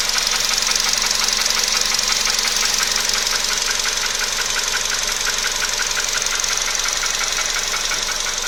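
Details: VW Polo sedan at 28,000 km with a new engine knock: a steady idle with a crisp, regular ticking knock about three per second; the source is not yet identified.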